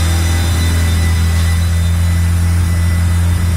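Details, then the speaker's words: Turbo Honda D16 on dyno: loud steady drone still idling around 3,000 rpm. Big vacuum leak, confirmed at the throttle body with brake cleaner; throttle body to be pulled. "Still idling around 3K. So big vacuum leak that we need to address."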